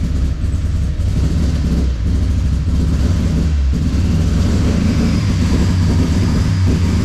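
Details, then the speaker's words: Engine with a 4-tooth, 1-reluctor distributor, started with timing seeming too advanced; deep, lumpy, uneven chugging idle like an old lawnmower with a fuel smell; running rough, cause unconfirmed. "Sounds like my old Briggs and Stratton lawnmower that I had. Fuck yeah, there's a bit of fuel there, eh?"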